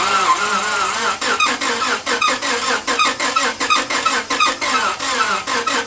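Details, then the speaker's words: Engine with very dirty oil cranking slowly on a weak battery: sharp squeak on each turn, no knock; suspected damaged main bearings tightening the bottom end, not confirmed. "And you can hear it squeaking, which is an indication it's squeaking and it's not knocking."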